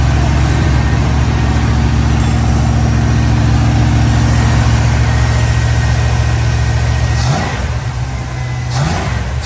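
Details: 1969 Dodge Dart V8 idling after a cold start while warming up for the choke to open: low, uneven lumpy beat with dips in the firing pulse, running rough. Owner says it definitely has a burnt valve or two, not fixed.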